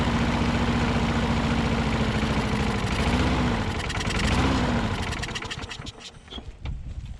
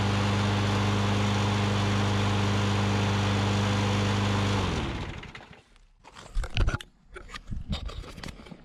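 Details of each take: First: Older Troy Bilt push mower with priming and governor issues, float bowl gasket leaking fuel, main jet not pulling fuel; chugs unevenly, speed sagging and surging before dying; poor running. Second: 2003 Troy-Bilt push mower with priming and governor issues, after a carb clean and O-ring fix, starting without primer: steady, even single-cylinder drone at constant speed without surging, then a clean shutdown; running properly.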